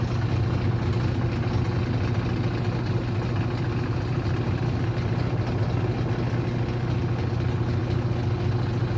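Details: Aurrtech 18 lb portable washing machine, model AU0003, running: loud low rumble with a steady thump about twice a second throughout; owner reports loud noise during use, cause unclear.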